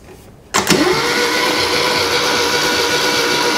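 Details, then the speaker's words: 1975 Moto Guzzi 850T unused for over 10 years, starter jumped with a wire, good compression. After a click the starter spins at a steady whir with no firing, so the engine turns over but won't start. Switch bad; points probably need cleaning, suspected. "that switch is bad it turns over when I hook those two the solenoids working starters working and the points probably need to be cleaned"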